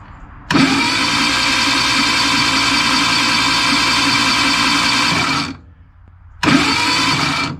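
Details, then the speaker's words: Two bursts of fast, even starter cranking on a rebuilt Reliant 850cc engine with big-valve head and 714 race cam, gearbox out, without spark; turns freely, no catch, knock or rattle, though a spun crank bearing and a clattering noise were reported earlier. "seems alright without the spark"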